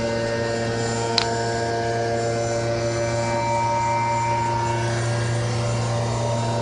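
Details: Retest at 7000 RPM: steady high-speed run with a loud, constant hum, several strong steady tones and heavy vibration noise; cause unknown.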